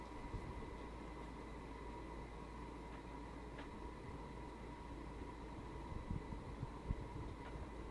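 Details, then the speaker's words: Hampton Bay Landmark III 42-inch ceiling fan, made June 2004, installed 2006, nearly a decade in use, running on medium: soft blade whoosh over a steady one-pitch electrical motor buzz; buzz noted mainly on medium speed, cause unclear. "am i hearing buzzing i don't know if you can hear her but i can hear buzzing let me get a close up you might have to turn on the volume to hear the buzzing"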